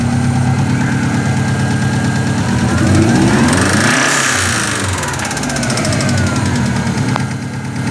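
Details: 2000 Subaru Forester EJ20 engine: deep knock about three per second at idle, louder as revs climb; early rod knock suspected, probably from high oil temperature and poor oil quality.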